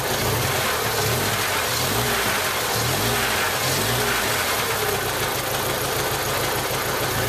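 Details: 1995 Jeep Wrangler YJ 2.5L four-cylinder running rough at about 1500 rpm. An uneven, lumpy beat with stumbles. Cylinder one has a blown head gasket seal and only about 70 psi compression.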